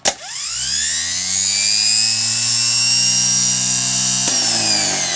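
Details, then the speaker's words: K5 Blazer starter after rebuild, bench-tested by jumping battery to the solenoid wire nut: sharp clack, then a whine rising quickly to a steady, smooth high spin; starter engages and runs normally. "And then you jump from the battery to the solenoid wire, but you don't do it where the threads are, you do it where the nut is, and it should spin up the solenoid and start spinning up."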